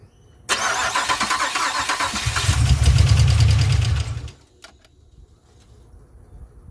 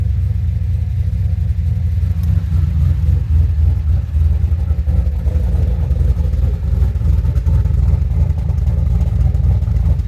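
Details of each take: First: 2007 Pontiac Grand Prix GXP, first start after a stage 3 cam, VATS/DOD delete and HP Tuners tune, on stock 42 injectors: cranks and starts but runs lumpy, with rapid popping and ticking over a shaky idle. An injector is spitting fuel. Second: 2007 GXP with Sloppy Stage 3 cam, VATS and DOD deleted via HP Tuners, first start-up after retightening loose front rockers: deep even V8 rumble steady through revs, no popping or misfire; loose-rocker popping fixed, healthy revving.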